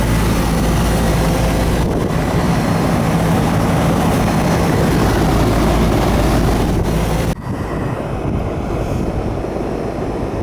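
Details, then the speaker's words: Older Carrier central AC condenser, one of two not cooling a house, after rewiring herm, fan and common leads; steady low drone of compressor and fan, no buzzing or clicking, holds even then settles lower, running normally with superheat on target. "It's good. Yeah, this one's working good. We're right where we need it on a superheat, so we'll check the other one."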